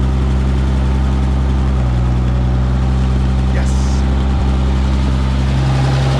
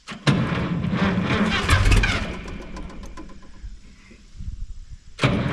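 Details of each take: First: Minneapolis Moline G900 LP tractor after removing a bird's nest and resetting a gummed-up part: deep, steady low-pitched idle with even beat and no hunting or stalling; normal idle. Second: Minneapolis Moline G900 LP tractor that quit in the field, cranked after a coil swap on a weakening battery; it fires a couple of ragged beats then dies. Cause found to be a bird's nest.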